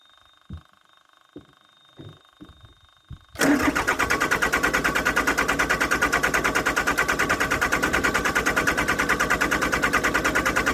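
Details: Yanmar VIO55-5B excavator diesel after a fuel filter and water separator change. A few clicks, then it self-bleeds, catches and settles into an even, steady idle with no misses or knocks. Warming up before the oil change.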